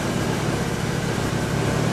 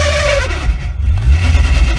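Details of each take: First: Nissan S14 after transmission removal for a clutch noise: steady, even low rumble with no chatter, squeal or rattle; clutch no longer making noise and working normally. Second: Nissan S14 manual transmission: a hideous high squeak over the revving engine, first blamed on the pilot bearing. An automatic-only spacer had been fitted, and the clutch was also found installed backwards.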